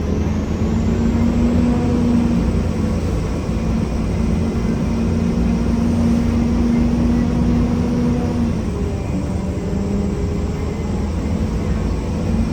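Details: Riding aboard a 1993 Gillig Phantom 35' bus (Cummins ISM, Allison B400R transmission) in service on route. A loud grinding runs throughout as a steady drone and rough growl over the diesel rumble; the rider suspects the transmission, unconfirmed.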